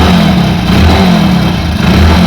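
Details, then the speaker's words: Hero Passion Pro single-cylinder after cylinder head refitted: loud steady revving with faint rattling chatter on the engine note, slight smoke remaining; timing chain noise. "दोस्तों इसका timing चैन में भी sound है।"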